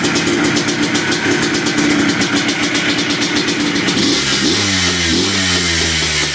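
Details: 2005 Yamaha Blaster two-stroke after fixing no-rev/bogging by grounding the CDI/TORS unit's yellow-black wire and removing bypasses: steady idle, then pitch climbs cleanly as throttle opens, revving freely without bogging.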